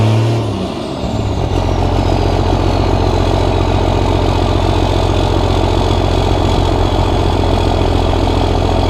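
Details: Cummins diesel truck at its first start after five engine upgrades (new injectors, hot rod VP44, Banks intake elbow), recorded from the corner: catches quickly and settles into a steady, even idle clatter; a little black smoke, some rough idle noted. Normal diesel idle.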